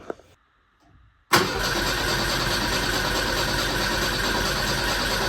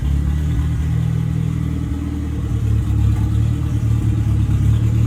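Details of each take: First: '59 Mercedes chassis-swapped, not run in almost 40 years, fresh 87 fuel added: steady cranking about four seconds without firing; spark present but no fuel pressure at the rail, owner suspects missing grounds. Crank no start. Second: Deep, even four-cylinder idle picking up cleanly with no popping, backfire or missed beats from the '59 Mercedes body on an '87 Ford Thunderbird Turbo Coupe chassis, first run in almost 40 years. After an overlooked fault was fixed it no longer misfires on revving and is healthy.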